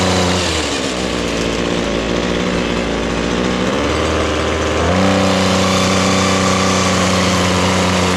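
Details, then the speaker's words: Ryobi small two-stroke with an attachment just fitted: buzzes at a steady idle, then picks up to a higher, even note and holds it cleanly; healthy running. "Crank it up. Let's fire this bad boy up. Had no trouble cranking it. It's good."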